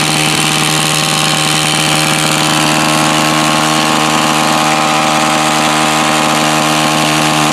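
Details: New Home Depot tiller that wouldn't start, owner suspecting debris in the blades tightening the pull cord: small engine buzzes at steady high speed, even with no misses or surges; running normally.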